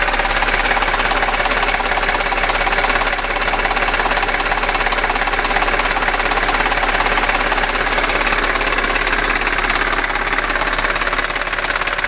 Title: Audi A6 4F 3.2 FSI quattro seltsame Motorgeräusche - Klackern - Nageln -TEIL2-